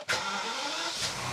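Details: BMW first start after both fuel filters were drained, system dry to the high pressure pumps, low pressure pump primed first; quick crank catches within a fraction of a second, flares briefly, then settles smoothly; starts cleanly.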